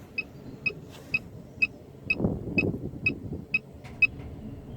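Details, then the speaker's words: 1997 Jaguar XJ6 X300 3.2 manual, interior stripped after failed MOT: sharp high beeps about twice a second over low rumbling; immobiliser engaged, likely loose wiring connection disturbed during work. "what's that beeping noise in the error message I'm not nothing what error it's immobilized itself"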